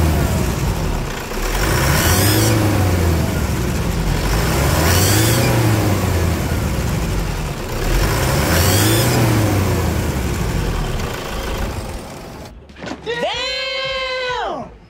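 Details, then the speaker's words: Three throttle blips, each with a hiss climbing with the revs, from a Toyota Hilux 3.0 diesel after injector repair and decarbonization; noisy turbocharger worked on elsewhere, and the customer will take it back there to be checked. "sinistraço esse barulho aí na turbina não é mesmo Pois é ele me fez com a turbina em outro lugar ele vai levar lá para ver essa parte da turbina"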